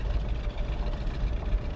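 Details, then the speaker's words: 1964 Chevy Bel Air barn find with a 5/8 race cam, first run in over 30 years, 60 lb oil pressure: a deep idle with an uneven loping pulse and slight stumble. Lumpy idle from the race cam; owner hopes it clears once warmed up. "5/8 race cam in it. Sounds like not quite 3/4. Hoping it'll clear up once it kind of smooths out."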